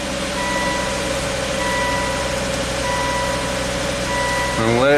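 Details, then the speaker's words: Volvo S60 Turbo after new cylinder 1 exhaust valves and repositioned manifold gaskets: steady, even idle with no ticking or puffing from exhaust joints; running super smooth, normal idle. "that cylinder hasn't fired in a while so any stuff is just cleaning out all right running super smooth"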